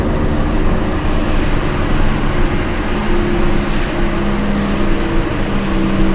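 A low steady drone with a faint hum rides over the road rumble while driving, pointing to a worn wheel bearing. Cause suspected, not confirmed.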